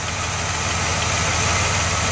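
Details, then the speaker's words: 1982 Chevrolet Impala, old 305 V8, first start after sitting five years: even steady idle with smooth low rumble and airy hiss, hardly any lifter tick, alternator belt squealing; normal idle. "hardly even lifters taking after sitting here for five years it's an old 305 all that belt squealing also tells me the alternator is probably working"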